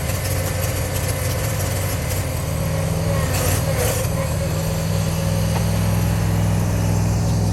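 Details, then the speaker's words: Gravely zero-turn mower V-twin runs after cleaning flywheel magnet and coils and freeing a stuck choke linkage, but the beat is uneven and hunting with pitch creeping up; carburetor mixture still needs tweaking. "and we're gonna see if it'll run now sounds like we got a little bit of tweaking to do to the carburetor"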